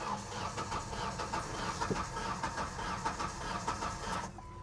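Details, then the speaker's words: Ford F150 with about a quarter million miles, listed non-runner, cranked on a jump pack: slow, lopsided cranking about 1.5 beats per second. Unbalanced compression suspected, possibly rings from sitting, blown head gasket or timing issue. Unconfirmed. "sounds a little unbalanced yeah it sounds like a little bit of a unbalanced compression there could be rings been sitting a long time could be blown head gasket could be timing issue"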